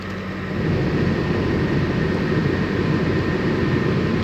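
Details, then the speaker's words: Nissan 200SX S14 SR20DET idling with heater turned on: faint steady high-pitched squeal over the rumble; one of three recently replaced V-belts squeaking under accessory load. "nice demonstration effect its so often if i turn on the heater that the v-belt is squeaking"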